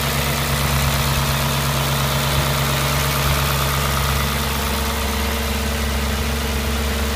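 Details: Audi S4 B6 V8 at idle: an uneven, faintly rhythmic rumble underneath a steady idle; an abnormal engine noise whose source is not pinned down.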